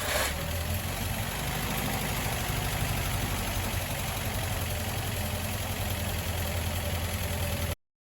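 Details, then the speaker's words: Willys CJ3A Navy Jeep at first start after starter rebuild, warmed up to temperature with good oil pressure and no leaks; steady, somewhat lumpy idle but it won't rev off idle, owner suspects a plugged carburetor circuit. "it starts right up but doesn't want to come up off an idle so i think i've got a circuit in the carburetor somewhere that's plugged with something"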